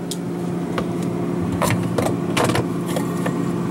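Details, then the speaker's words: GE 18 cu ft refrigerator after evaporator fan motor replacement (old motor had loose bearing), after about 3.5 hours running, freezer about -12°F, door open: steady soft low hum with light handling knocks; new fan quiet and smooth. "this is the suction side through here new fan so it's nice and quiet"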